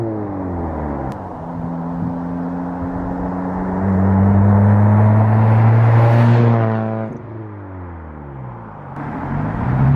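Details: Girlfriend's car with a straight-piped exhaust judged far too loud and due to be fixed; loud, raw drone climbs and falls with each rev, harsh rasp with nothing damping it, open straight pipe.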